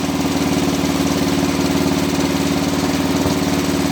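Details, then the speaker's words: Cub Cadet 86 tractor idling 10–15 minutes with the starter-generator belt disconnected: even hum and regular thumping, the strange noise gone; owner suspects starter-generator bushings or bearings. "it's been running for I don't know 10 or 15 minutes or so with the starter generator belt disconnected and it hasn't made that sound again since"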